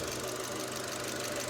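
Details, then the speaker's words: Engine idling evenly, smooth and quiet, after replacing a timing chain stretched about 3 mm and a broken tensioner at 220,000 km mileage; the knock and gurgling noises are gone, normal healthy idle. "Вот, двигатель работает ровно, хорошо, тихо. Пропала детонация. Значит, пропали какие-то звуки, журчания и тому подобное."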